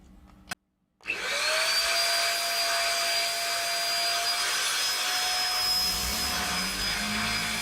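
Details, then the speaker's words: Shark DuoClean vacuum cleaner: the motor spins up to a steady high whine with slight pitch drift, then cuts out when switched from the higher setting to low; owner suspects processor firmware corruption. "If I try and turn off the higher set it just cuts out. Um and for me that can it can only be um the processor."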